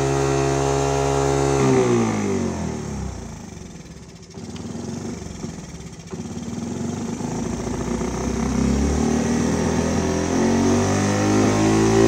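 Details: 1985 Honda ATC 110, after the right fuel and idle adjustment: idle sags and stumbles, then revs climb by themselves and hang high. The idle adjustment does nothing.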